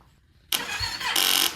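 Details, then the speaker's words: 2015 Yamaha YZF-R3 that sat for years, fuel system repaired after rusted tank and failed fuel pump: a short, sluggish crank that fades without firing because the 10-year-old battery is too weak; fuel pump primes with no leaks. "The fuel pump is working. The battery's not. This battery's 10 years old."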